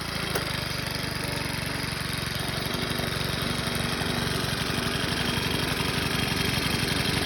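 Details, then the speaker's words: Craftsman 29cc 4-cycle wheeled edger after new fuel line, tank cleanout of 2-cycle mix, 4-cycle oil change and fresh gas: steady even beat about three pops per second, no misses; runs smoothly. "Apparently all I needed was some fuel lines and tank clean out and stuff, and some good fuel."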